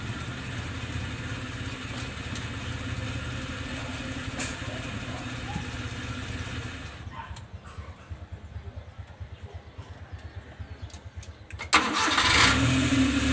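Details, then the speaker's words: Restart test after the starter motor was repaired: the engine idles, is shut off, then a short crank catches straight into a steady run, so the starter repair succeeded. "So yun guys, successful naman ang ginawa natin repair sa starter."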